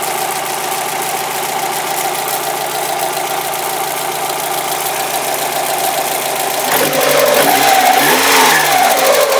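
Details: Mazda Miata started after sitting for months (previously cranked but wouldn't start): fast light ticking/knocking, three to four per second, over a steady idle with buzzing electrical noise; source unknown, father thinks it needs a new engine.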